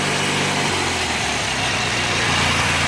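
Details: Bolens 3014H lawn tractor with a Briggs & Stratton opposed-twin 14HP engine and hydrostatic drive, after solenoid replacement, throttle up and choke on: it catches and settles into a smooth, steady idle with no misses or surging; normal.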